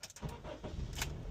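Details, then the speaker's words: 2010 Honda Civic after a 25–30 minute drive with all loads on to recharge the battery (no-crank no-start traced to a dead battery): short quick crank catches almost at once and settles to steady idle; starts fine. "Okay, so it started fine. That's a good sign. Turn it off again. Do another start. That's fine."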